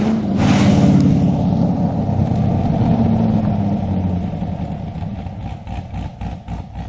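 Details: Mazda Miata engine at idle after sitting a long time: fast light clatter of about four ticks a second over a steady idle. It was worse at yesterday's start and better after a drive; valve train ticking suspected, before adding Rislone oil treatment.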